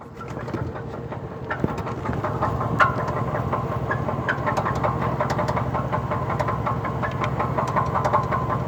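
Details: 2003 Cadillac DeVille after a morning start, stalling with the exhaust shaking, idling unevenly with irregular knocks and sharp squeaky clicks; cause unknown.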